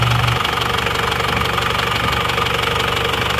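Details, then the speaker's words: Isuzu Panther diesel after repair, warm at 79 °C: quick, even idle clatter with no stumbles or misses; oil filler check shows no smoke, engine normal. "Jadi sudah oke juga ini kondisinya. mesin rata. Nggak ada asap, normal."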